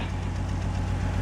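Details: 2004 BMW 325i after restoring lost compression: steady, even low hum at idle, no knocks, misses or ticking, while burning off oil with smoke; engine idles smoothly and healthy.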